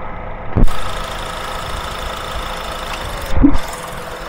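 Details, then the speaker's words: Honda Accord brought in with warm A/C. At idle, plugging the relay back in gives a distinct click as the compressor clutch engages normally and the compressor spins. The refrigerant charge is not low enough to trip the pressure switch, though a refrigerant leak was found. "That click was the engagement of the compressor, and now it is spinning."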